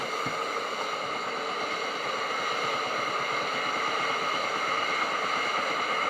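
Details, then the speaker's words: Tefal Access Steam Force DT8270G0 handheld garment steamer, 2000 W, new unit on continuous steam; steady hiss with a soft quick pumping or knocking tick underneath, about three or four a second, normal pump action. "and you can hear that pumping or knocking sound"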